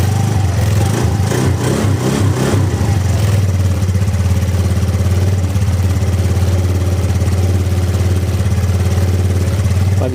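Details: Ego LC 125 scooter started right after a DIY service: rough first few seconds, then a steady, even idle with slight cold tappety clatter, a bit noisy but nothing abnormal.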